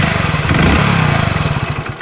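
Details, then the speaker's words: Hero Splendor BS6 motorcycle with check engine light on, after reconnecting an unplugged socket; small uneven lumpy firing, brief surge, then pulses slow and die out, repeatedly stalling; won't hold idle. "उसके बाद भी अब मैं पहले आपको एक बार start करके दिखाता हूँ। गाड़ी हमारी जो है देख सकते हो बार बार बंद हो रही"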